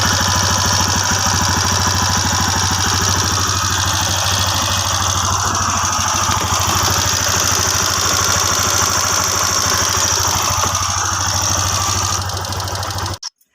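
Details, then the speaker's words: TVS Apache RTR single idling: fast light metallic clatter about three ticks a second over the engine; loose rocker noise, fixed by adjusting rockers under the 17 mm rocker cover bolts. "ये तो friends यहां पर rocker का sound है"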